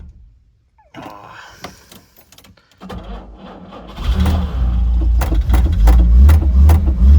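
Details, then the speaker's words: 1968 Jaguar E-type Series 1 convertible, sitting about two years, cranking slowly on choke with an extra battery: catches after a few tries and settles into a steady, even run with revs rising cleanly; healthy, earlier no-start likely old fuel and flooding. "on there we go old girl engine sounds healthy probably just a mixture of old Fuel and it being flooded like crazy"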